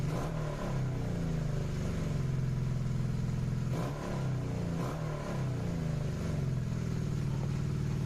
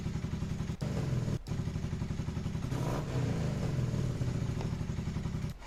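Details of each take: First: Carbureted motorcycle before the fix: engine holds high revs for several seconds and is slow to return after a rev, because the carburetor idle adjustment screw was misadjusted. High idle from misadjusted idle screw. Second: Carbureted motorcycle after correcting an over-turned carburetor idle adjustment screw: steady, even low thump, and a brief rev blip settles right back to a proper idle. Runs much better than before. Normal idle.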